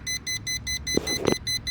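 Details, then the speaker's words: Schumacher 1200 A lithium portable jump starter connected to a car that has not started: rapid, even high beeps about four a second after clicking. The pack warns that it has spent its charge without a start and should be disconnected. "this portion that has all the circuitry, it's saying, hey, there's something wrong. I just expended a good amount of energy and you still haven't turned on your car yet, and we're getting a reading that your voltage is fine, so disconnect me and try again, or there's something else wrong with your car."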